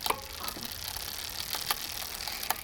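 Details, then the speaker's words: Bicycle rear derailleur, barrel adjuster screwed back in, cable still too tight: sharp uneven ticks while pedaling as the chain tries to jump to the second cog; over-tensioned cable. "and now you can hear that it's still too tight because it's trying to jump up to that second gear second cog"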